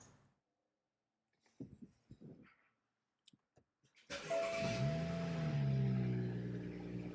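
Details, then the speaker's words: Salvage BMW M235i (F22, N55 turbo) with eccentric shaft sensor signal not plausible code: quiet, then cranks and catches at about four seconds, flaring and settling unevenly; rough start and unstable idle from valve-lift control fault. "And it also made it sound like this when I was idling or just driving the car a little bit in general."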